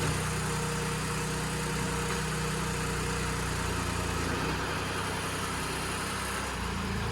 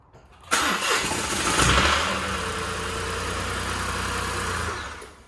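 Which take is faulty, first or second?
second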